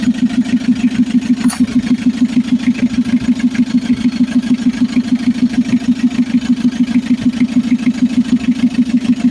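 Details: Mitsubishi L300 FB diesel after a hard-starting fix (non-supplying injection pump replaced, wiring, starter, alternator and grounded ignition switch repaired): catches and settles into a steady, evenly paced clatter with no hunting or stalling; starts and idles properly.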